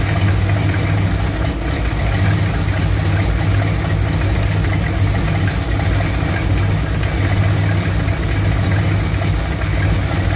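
Warm V8 idling with a loping, uneven low rumble and irregular stumbles in the beat; rough idle, cause not yet pinned down.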